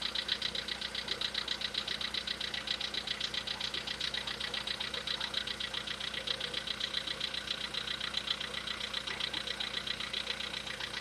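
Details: VW Polo Sedan, CFNA engine, knock; decarbonising tried as possible fix: steady idle with a light, regular ticking knock about two or three per second; engine knock at idle, cause not pinned down.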